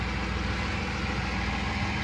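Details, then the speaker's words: 1996 Chevy S10 after fuel line and fuel filter replacement: cranks and starts straight away without the usual hard cold start, smooth steady low idle with even pulse, no knocks, rumbling vibration or hunting; healthy. "first attempt oh it cranks straight up okay and i didn't have a hard start like i normally do when it was clawed i don't feel that rumbling vibration"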